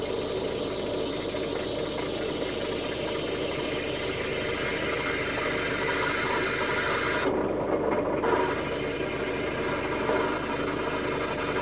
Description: ford tempo 2.3 liter 4cyl water pump bearing noise; bearing went from being put under stress from droping the engine to do the harmonic balancer.